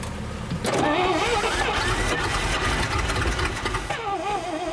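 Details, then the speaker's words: 1962 Dodge 100, first start in 25 years, fed gas through the carburetor, idle raised, throttle return spring broken: loud, uneven top-end clatter, not rod-like; owner suspects a bent pushrod from a stuck valve. "A lot of noise, but I'm not sure what kind of noise it is. It don't sound like a rod or nothing."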